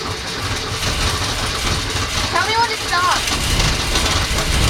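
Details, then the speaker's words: Newly rebuilt '65 Ford Falcon engine, second start attempt after first rough run; uneven lumpy rumble with no steady beat, catching and stumbling, rough on start; possibly flooded with fuel, so carburetor mixture turned down, unconfirmed. "right crank it that feels awfully rough it is so the engine is not quite starting there's a possibility that it could be flooded with fuel"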